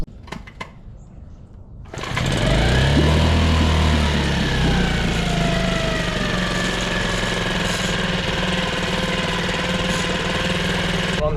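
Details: Nissan 5hp four-stroke long-shaft outboard after carburetor jet cleaning and new fuel filter: catches after about two seconds and settles into a steady, even run with uniform firing beat and no misses.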